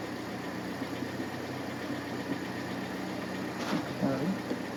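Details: Hyundai idling just after repairing a no-shift-from-park fault: a quiet, steady low hum with no knocks, misses or ticks. It sounds good and now shifts out of park.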